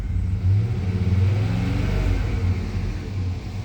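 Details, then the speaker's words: 1997 Chevrolet Suburban after mass air flow sensor installed, about 59 degrees: low engine rumble revving unevenly, sagging and surging as throttle opens; stumble on acceleration, spark advance not changing, cause not yet pinned down. "It's wanting to stumble, man, when I was giving some gas a little bit ago. When I first got this thing put on there. Yeah, I hear it. When I first rev it up."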